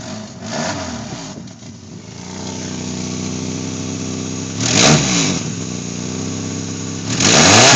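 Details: '97 Subaru Legacy 2.2 wagon, 4EAT automatic; engine runs and revs with a loud raspy hissing exhaust roar because the weld in front of the second catalytic converter broke clean.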